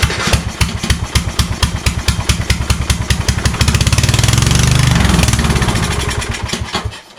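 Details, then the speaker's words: Craftsman YS4500 lawn tractor, Kohler Courage 20HP with new fuel pump, choked with starting spray: fires briefly, swells, then dies after about seven seconds despite a decent fuel pulse felt; starts then stalls, possibly fuel starvation. "okay uh i did feel a decent pulse coming out of here so i think this might work actually so um and as you saw it it started and it stopped again"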